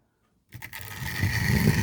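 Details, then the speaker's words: Newer loco with shallow flanges running on Tri-ang/Hornby track off a controller: silence, then the motor whirs up to a steady, even hum with no rumble or stutter. It runs smoothly, unlike old stock whose deeper flanges hit the chairs. "Can you hear it? And it goes smooth."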